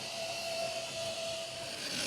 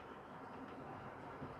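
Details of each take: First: Model loco Ringfield motor in a cold shed, already serviced with pinions not slipping: harsh high-pitched screech building for a few seconds as it jerks into life, stopping with it; the dry shaft bearing needs oil. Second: Old tender-driven model locomotive Ringfield motor after the tender was simply oiled, on track: low, steady, even whir with no squeal or screech; now running smooth and quiet.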